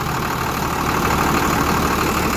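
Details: Bus engine started despite worn alternator power and ground wire insulation (fire risk): steady, even idle with a smooth low rumble and no knocks or misses; engine running healthy.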